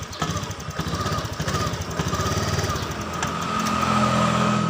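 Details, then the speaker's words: Honda Beat scooter with throttle position sensor unplugged, eight-blink fault code: engine chugs unevenly, speed wandering, never settling into steady idle; returns to normal after sensor is plugged back in. "tidak normal ya Temen tidak bisa stasioner ini kita pasang kembali"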